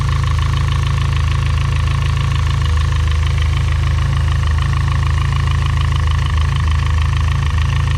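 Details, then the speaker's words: Built turbo engine at hot idle: steady light ticking about four per second over a smooth low hum, from the cylinder head/cam area; valvetrain noise, cause unconfirmed. "so that is the noise that i am talking about it is coming from the head and the cam and all of that or in that area"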